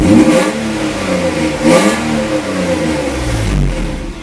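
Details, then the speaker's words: 1993 Mercedes 190E SportLine, 5-speed manual, 3.2L M104 swap, after wiring repairs; idle 650 rpm with good oil pressure: quick, clean rev blips rise and fall smoothly with no stumble and settle evenly. It revs freely and is healthy. "it works nice"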